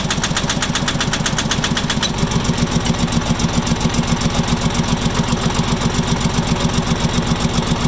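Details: Farmpro 2425 diesel at idle: sharp, even knocking about four times per second, steady throughout; clear engine knock, cause not pinned down.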